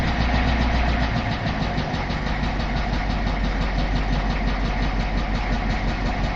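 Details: 1986 Ford F350 with 6.9 IDI diesel, heard from inside the cab: idling with a steady, sharp knock riding over the rumble, roughly three beats a second.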